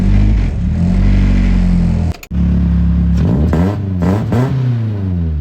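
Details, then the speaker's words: BMW E36 318 with M42 engine, after fixing a crank-no-start caused by spread-open ECU connector pins (EWS deleted): catches, cuts briefly, refires and settles into a steady, even idle with light revs. It now seems to start cleanly every crank. "So finally some potentially good news for the 318. It seems to be firing every time I crank it."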